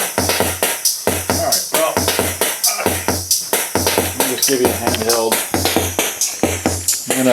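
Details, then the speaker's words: Sony Rhythm Capsule CF-900s/CF-9000 rhythm section: a loud, steady drum pattern at about 90 beats a minute with clean, even hits and no dropouts; how the unit should sound once serviced. "this is what this one should sound like once you go through it prepared"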